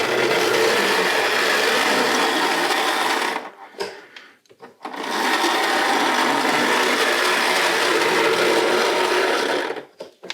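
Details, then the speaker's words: Tri-ang Hornby model railway locomotive powered up on the bench, not yet on track: harsh buzzing growl under power, cutting out and back in; rough motor noise, possibly amplified by the bench. "yeah that's definitely grow isn't it but then that's that's right onto the"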